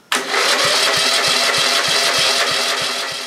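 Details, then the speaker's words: Cold Briggs & Stratton 11 hp flathead (model 25) after a night in the 30s °F, burns oil, scored aluminum bore; carb cleaner squirted, no choke yet: starter churns with even compression pulses about three per second, cranks but won't start. "okay didn't hit any so I'm going try a little choke now"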